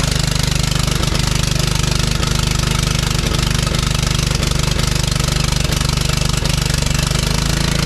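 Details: John Deere LT155 riding mower engine running with heavy regular thump about three to four times a second; engine rocking because mounting bolts are missing.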